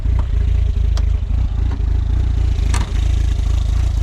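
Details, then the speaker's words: Turbo Škoda project engine idling after reassembly, not yet run in; low, deep, even burble with a few light clicks on top; smooth, healthy normal idle. "OK, takže auto máme hotové a pozrite sa, ako ten motor chytá. Hej, chápete? Na pol otáčky. Urve ma z toho. Kokos, len tak buble."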